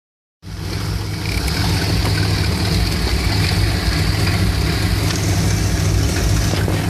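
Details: 1975 Dodge B200 Tradesman van, 360 5.9L V8 2bbl, warm: uneven stumbling idle about four beats a second, wavering; rough idle when warm persists after new ignition coil, cause unclear.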